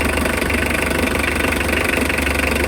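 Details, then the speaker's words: Overheating Mitsubishi L300 diesel, mechanic expects head gasket and hopes head isn't cracked: even idle with steady rhythmic clatter while air bubbles up and coolant level rises; cause not confirmed. "Tingnan nyo guys. Yan. Tumataas yung tubig."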